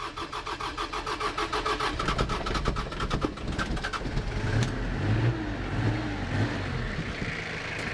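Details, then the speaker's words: 1983 Ford Ranger, factory 2.2L Perkins 4.135 diesel, fed from a jerry can into the lift pump after fuel filter refill: even cranking about two pulses a second, fires quickly into a steady clattery idle; healthy diesel start. "fires right up sound good"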